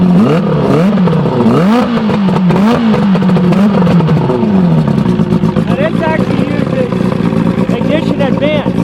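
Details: Evinrude Starflight 100hp two-stroke outboard on mixed gas, out of water, ignition advancing with throttle, booster pack on low battery: crisp howl sweeping with each throttle blip, settling back cleanly; runs healthy.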